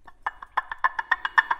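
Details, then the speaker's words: Removed water pump from a Jeep Grand Cherokee WJ 4.7L spun by hand, sharp dry clicks about seven per second from worn bearing; not yet leaking but would eventually fail or seep from seals. "I mentioned the bearings you hear that hear how nasty that sounds"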